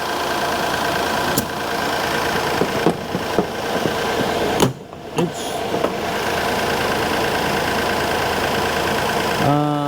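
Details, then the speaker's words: 2017 Kia Sedona with replacement 3.3L V6, on the lift after swap, power steering burping out bubbles: steady smooth idle hum, no knock or miss, no power steering pump whine; only light clicks from nearby work. "And I don't hear the power steering pump whining at all."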